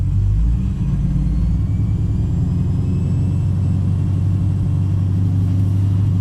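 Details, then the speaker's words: Pontiac G8 GT V8 idling after DIY oil change with Mobil 1: deep steady rumble, even idle, no ticking or knocking; owner listening for lifter problems says so far it's running right. "Well, I kind of know what to listen for. So I mean, so far it's running right."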